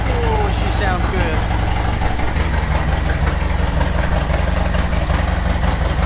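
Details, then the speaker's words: Harley-Davidson Sport Glide V-twin started while stationary after a hose-down: deep loping idle with an even low thump and steady exhaust; starts and runs smoothly, sounds good. "I'm gonna go start the bike up. One, for my own enjoyment of hearing that engine, and two, just to get that engine rotating a little bit whilst it's stationary."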